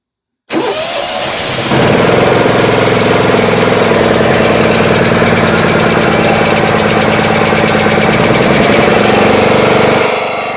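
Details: Toro Wheel Horse 212-5 lawn tractor, cold start after nearly 10 years sitting, on choke: short crank, then it catches at once and settles into a steady, even single-cylinder chug; healthy start.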